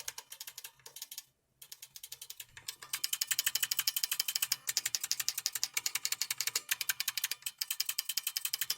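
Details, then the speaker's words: Brand New Model F buckling-spring keyboard, key still tinny after attempted spring reseat fix: rapid uneven clacking about four presses a second with thin tinny ring; tinny buckling spring key. "It sounds like tinny. So with these keys, you're gonna find that pressing near here is gonna give you a really shit response."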